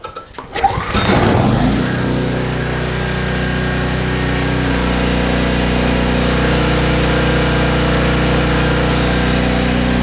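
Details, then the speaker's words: Trash-picked 2005 Craftsman 5600 W generator, 10 HP Briggs & Stratton, restarted with a 1400 W heat gun plugged in: pull-start, then a steady, even drone that holds under the load; making power, with slight sputtering possibly from a carburetor still needing cleaning. "Making power. We'll let her run for a minute."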